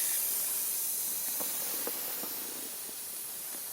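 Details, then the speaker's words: Daikin Altherma heat pump that trips its breaker after about 4 minutes, while bleeding the water circuit: a soft, steady high hiss with no pump noise as trapped air escapes and pressure drops. "Donc ici, j'entends de l'air qui s'échappe."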